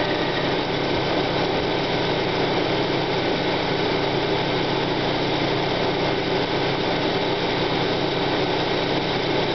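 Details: 1995 Plymouth Neon Sport DOHC at idle on initial start-up: steady rough grinding hiss that fades as the engine warms up; timing belt walks on the idler pulley, owner suspects idler pulley bearing or water pump, unconfirmed.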